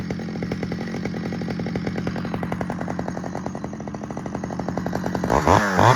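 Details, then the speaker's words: Stihl 009L chainsaw from Marketplace, first outdoor run; crisp, even two-stroke rattle at steady speed, firing cleanly with no misses or hunting; broken fuel line leaked when tipped; normal running. "That's good news. It runs and it runs really good actually."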